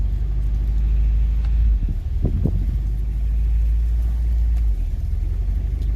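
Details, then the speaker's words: Honda Prelude with a misfire, just warming up: when the throttle is blipped the revs rise and sag unevenly instead of settling, a surging idle; owner thinks a spark plug wire is probably still misfiring. "i'm gonna try to rev it i'm expecting uh an idle surge very soon gonna give it some gas yeah there's the idle surge"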